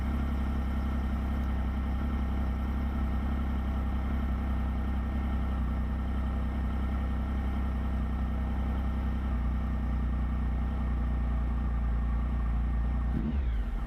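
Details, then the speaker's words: Triumph Speed Triple 1050 at idle while throttle body number 1 is adjusted to match 2 and 3 using Dealertool: steady low triple throb with only slight shifts in air pressure tone; idle during throttle balancing. "As I'm adjusting number 1, you can sometimes hear the air pressure changing ever so slightly."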